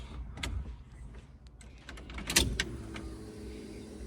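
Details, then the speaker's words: Car on a hoist after brake bleeding and fluid top-up, key on before starting: a faint steady hum rises for a couple of seconds in a quiet background; normal fuel pump priming. "Fuel pump prime."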